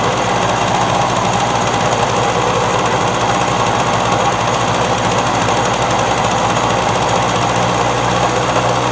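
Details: Victa two-stroke lawn mower that would not start when bought, now running: fast, even two-stroke buzz holding steady with no misses or surging for nine seconds, running healthily.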